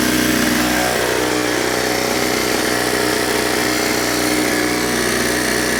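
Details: Ryobi 38cc backpack blower, two-stroke on 50:1 mix, running after a cold start: a loud, even buzz holding steady pitch with no misses or stumbles; engine running cleanly.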